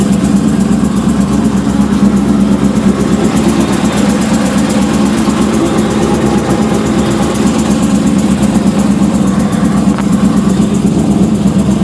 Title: Weird noise